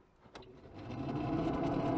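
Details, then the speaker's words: Very early Mark 1 BX after being out in the rain, ignition on, heater fan switched on. The fan spins up into an uneven warbling hum with a faint whistle: water in the heater blower motor. "Can you hear that? That funny noise. Yeah, that's water in the heater motor."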